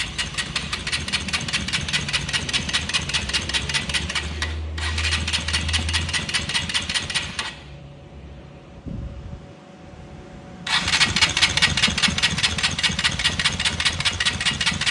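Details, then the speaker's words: Honda XR 150L motorcycle: sharp rapid metallic clatter from the cylinder/top end following engine speed, started after 22 km of riding; oil level fine but burnt low-quality oil in head, engine consuming oil; piston slap. "tiene un sonido extraño, un ruido que es producido por la cabeza de fuerza."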